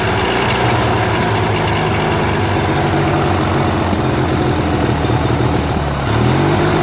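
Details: Freshly restarted Briggs & Stratton 16HP opposed twin on a Murray tractor, with the missing carb jet fixed and started on full choke: a surging idle that hunts up and down, shifting near the end. Owner says the carb idle screw needs adjusting, as holding it improved running.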